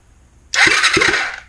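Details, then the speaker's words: 2005 Kawasaki Ninja 250 after engine reinstallation: short starter crank with even, strong compression rhythm on both cylinders, full compression; previously one cylinder may have been weak. "Oh, compression. >> That was actually full compression."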